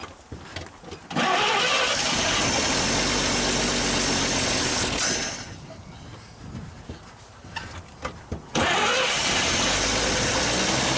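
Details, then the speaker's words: 1939 Chevrolet Master six, first start after 48 years with a gas tank hooked up. It cranks, catches and roars, stumbles and dies, then fires again into a coarse, uneven run. "We're running. Blew out a little bit of stuff. Very blue."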